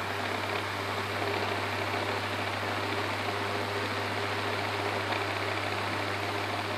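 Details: WeatherWorks window fan, years at a cabin by a dirt road: loud steady rushing hum with deep drone, no clear rhythm; bearings worn out, WD-40 tried.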